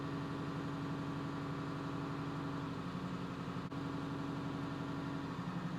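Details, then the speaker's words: International 3800 school bus, T444E diesel, warm-up high idle around 1400 rpm while winter fuel stabilizer is added: steady, even drone, constant pitch, no knocks or misses; healthy. "as you can probably tell the bus has now gone into high idle so it is warming up so it would appear high idle on the buses around 1400 RPMs"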